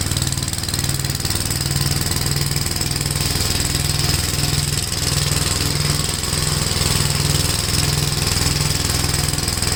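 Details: Gravely tractor with brush hog mulcher deck, PTO engaged after remounting deck and adjusting clutch: loud steady engine chug, even pulses, blade spinning under load, no shudder; runs really smooth, no vibration. Normal running.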